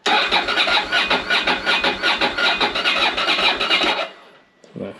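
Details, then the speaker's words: Ducati Monster 600 with little fuel in the tank and no fuel pump prime sound at key-on: steady starter cranking about two and a half compressions a second for four seconds, never catching; apparently no fuel getting through, cranks but won't start. "yeah it doesn't sound like it's getting any fuel to be honest"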